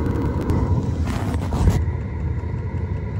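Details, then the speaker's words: Webasto engine preheater on a Ford Transit campervan in Arctic cold finally lights after long pump-clicking attempts, with coolant up to -4°C. It now runs at high speed with a steady, even fan and burner roar, no sputter. "That's running at high speed now. Excellent. That's running now, so tidy up the van, wait for the engine to get hot and then start it."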